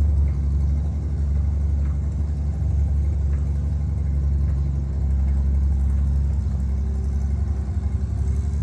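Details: International 1-ton flatbed (stated 1947 or 1949), revived after about 50-53 years, 12-volt with replacement coil lacking required resistor; deep even low rumble with steady beat, no knocks or misses; inline six running cleanly, normal.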